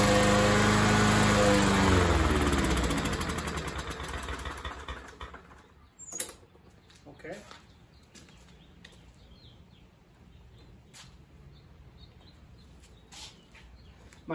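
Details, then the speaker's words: First start of an MTD 21-inch push mower with a 140cc engine that sat for a couple of years, primed several times. It fires, runs a couple of seconds, then sags and dies; owner guesses a carburetor issue. "guess would be a carburetor issue guessing this is going to be a 10. set up probably similar to a Honda carburetor"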